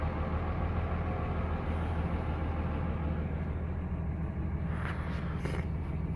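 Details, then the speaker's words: Dodge 5.9 Cummins common-rail diesel, warm after a day of errands, 3–4 days after ECM replacement and codes clearing: low, even clatter with a steady rhythm, no misses or hunting; normal idle. "I figured I'd show you guys how the truck's running with the new ECM. This isn't a cold start, by the way."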